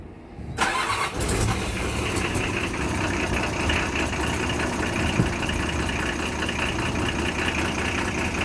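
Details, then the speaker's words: Perkins six-cylinder diesel in a Mazda T4100 truck, long-sitting and due a major service, started on glow plugs with a little hand throttle: cranks briefly, catches at once, then settles into a steady, even idle with no knocks; exhaust noise audible underneath. "starts that easy you can hear a bit of an exhaust like down here"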